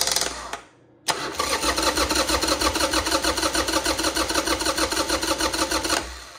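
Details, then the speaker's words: Harley motorcycle that won't start, cranked on a jump pack: starter turns the engine steadily about three beats a second for five seconds and never catches; no orange flash seen, so a no-spark issue. "looks like we have a no spark issue normally you're going to see a little orange Flash in here"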